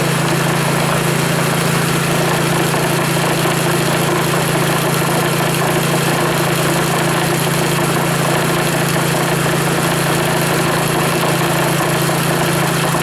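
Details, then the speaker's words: Reassembled Powerfist small engine idling evenly with a steady low hum, no stumbles or misses, after rebuild; fuel shut off to run carburetor dry; runs like new; normal idle. "you can tear an engine apart like that put her back together and she fires up just like new is new was new and still is new"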